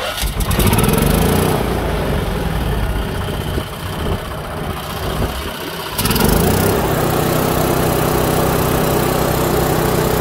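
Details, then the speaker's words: Kohler generator set, four-stroke gasoline engine that would not start because the magneto gave no spark; magneto replaced with a temporary non-original unit, gap set with a card. Now runs steadily, about four pulses a second, no misses. "como podemos observar el problema en el magneto no generaba chispa y hemos cambiado este magneto"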